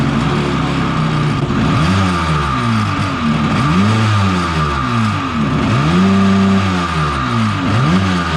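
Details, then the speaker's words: 750 Kawasaki jetski two-stroke engine in an aluminum single-seat mini jet boat, run after a full rebuild kit. Revs blipped up and down repeatedly, each rising and falling cleanly without bogging, clearing out the exhaust. Normal running. "guys it works perfect now it looks like let's just blowing the pig snot out of the exhaust system it's gonna run perfect now"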